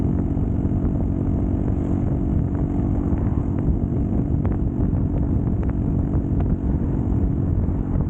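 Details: Custom Triumph Bonneville T100 built by Down & Out with drag pipes, riding after fix: deep steady low twin rumble, no pops or backfires; normal exhaust note.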